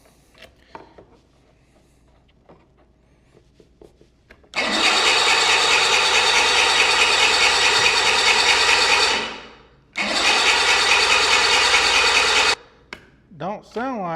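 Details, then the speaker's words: 1985 Bass Tracker outboard, sitting for years, cranks with even fast whirring in two long bursts but won't fire despite fuel and spark; owner suspects suspect connectors, replacing them. "Here we go. Nothing. Nothing. Okay. What we got going on here? Huh? We got fuel."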